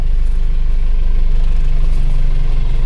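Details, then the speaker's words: Isuzu Panther diesel, warm after a 5 km drive following an engine overhaul: an even, steady low thump with no knocks or misses, a smooth healthy idle, with less smoke and better pull. "Oke Rasanya lebih suaranya lebih enak dan tarikannya lebih dapat ini Setelah dipasang ini tentu saja asapnya juga lebih berkurang ya"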